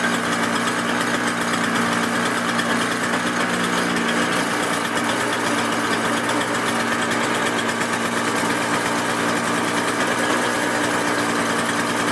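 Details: Toro CCR 6.5hp snow blower readied for the season, running after priming and choke start; high, buzzy two-stroke note steady and even throughout, no misses or surging; normal running.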